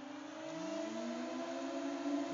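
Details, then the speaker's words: HP ProLiant 360 server being powered on: whir climbing steadily in pitch and loudness over two seconds as the fans spin up, getting louder than on standby; smooth and normal. "can hear it gets much louder well I don't know how much louder it sounds but um see here we go yep pretty nice"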